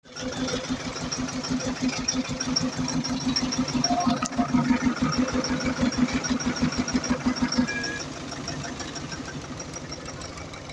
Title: Iveco Eurocargo Tector. Defect In Electro-Injector Which Lead To Engine Rough Idle And White Smoke